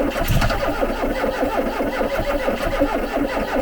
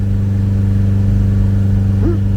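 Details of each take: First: Garden-find Ford Capri with Pinto engine: catches and runs rough and uneven a few seconds, dies, coughs again; stalls from not enough fuel reaching engine. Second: Garden-find Ford Capri revived after sitting, heard from the rear at the exhaust: a really even exhaust note rising cleanly on the blip and settling smoothly, little smoke, running really well. Healthy engine revving.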